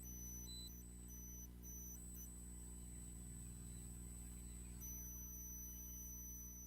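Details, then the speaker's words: Microphone squeal on a gifted livestream mic: thin steady high whistle over low hum, stopping and returning; the owner unplugs the charger, suspecting it interferes. Cause unclear. "if I unplug the charger y'all still hear it I didn't know if the charger might have been interfering"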